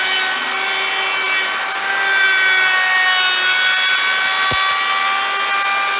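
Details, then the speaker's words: Router shaping an electric guitar body on a lighter pass taking less wood: the high steady whine holds its pitch through the cut without sagging. Cutting smoothly with no bogging. "you could hear it just went so much smoother, not taking so much wood, right? You can hear the router doesn't bog down, and that's what you want to do."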